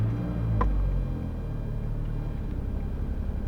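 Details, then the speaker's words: Opel Zafira A 1.8i (X18XE1) on a completely cold start, with no fault codes and a previously repaired ECU: lumpy, uneven idle misfire that worsens with throttle, rich mixture, MAF reading 36 kg/h; faulty MAF sensor. "it started right away to misfire. Okay, it's for sure is acting up, and we can see how high is the mass airflow right now."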